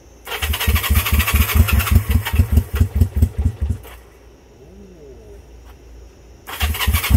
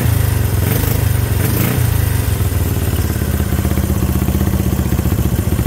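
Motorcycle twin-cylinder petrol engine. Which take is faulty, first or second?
first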